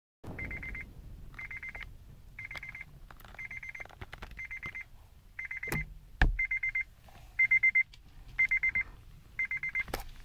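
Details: Acura RSX-S clutch giving loud repeating high chirps, about one a second, when the clutch pedal is released slowly; the clutch squeaks on slow engagement.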